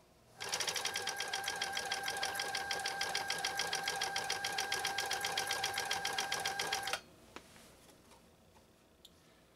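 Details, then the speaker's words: Repaired 1980s New Home SL2022 all-mechanical sewing machine with a serviced 1.0 amp motor, set on high, sewing through a thick seam: a fast, even beat with a steady whir and no labouring, slowing or knocking. Normal sewing operation. "especially with this level of ease that sherry's machine just did the task it just i mean no effort whatsoever again one amp power motor"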